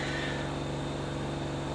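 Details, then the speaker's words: 1980s Technics RS-M230 cassette deck after mechanical repairs, tape playback: harsh, buzzy, smeared sound with a steady roughly 50 Hz hum, one channel dead, meters pegged; distorted output traced to a failed playback chip, stereo restored after chip replacement. "i've got nothing on one channel and well and it's probably 50 hertz just buzzing"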